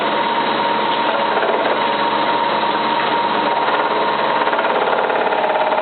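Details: Cylinda 12002 washing machine on its last spin: rapid, uneven clattering knock, about three a second, over the spin drone, as if something is stuck in the drum; inspection pocket empty, cause not found.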